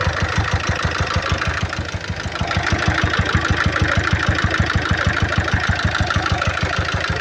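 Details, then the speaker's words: 2012 Peugeot Partner B9 1.6 HDi 75 hp diesel, almost 216,000 miles, excessive oil leak and smoke from the oil cap, at idle: hard, even knock about three per second; knock later went away after topping oil to full. "The engine doesn't sound too healthy on there."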